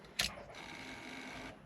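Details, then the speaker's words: Squarebody Chevrolet truck after new Painless wiring harness, key-on in park: brief click then a steady high-pitched hum for just over a second before cutting off; fuel pump priming normally. "Okay, we got park. Sounds like the fuel pump's on."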